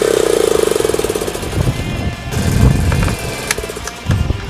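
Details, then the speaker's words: Suzuki Choinori 50cc two-stroke scooter after carburetor float valve repair, NGK plug swap, power filter, regulator replacement; no fuel leaks, fires at once into an even buzzing putter and blips freely without stumbling: normal start and idle. "ま、とりあえずね、なんかガソリンの漏れっぽいものもなく、ま、見た感じは問題ないです。エンジンもね、これすぐかかるんすよ。"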